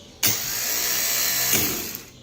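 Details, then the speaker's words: Starter motor bench test, powered from the battery positive with the BAT and Start terminals bridged by a screwdriver. A sharp clack as the bendix throws out, then a steady high-pitched free-spinning whir. The bendix extends and turns, so the starter is good. "se escucha que salió vamos a ver como V nuestra prueba salió bien sale nuestro bendix hacia adante y gira entonces podemos decir que nuestro motor de arranque está bien"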